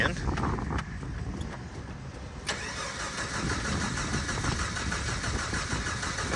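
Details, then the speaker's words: 1989 Jeep crank-no-start after bogging and dying: uneven cranking about two and a half seconds, then catches and settles into steady idle after a gallon of fuel added; bad fuel pump suspected, but it was out of gas. "so if that's the case it ain't got no gas in it she was out of gas"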